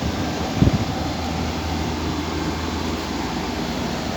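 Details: Window AC whose compressor repeatedly trips and room won't cool: steady low hum with fan air rush and a single thump near start; unit running with compressor engaged.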